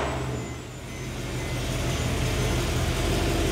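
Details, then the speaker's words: Mercedes E63 M156 port-injected V8 with newly installed prototype supercharger, base tune, codes cleared, first start: deep even burble rising smoothly, no misfire, no audible blower noise, instant throttle response; normal idle. "it idles great. This is just on a bass tune. The throttle response is like instant. This sounds so good."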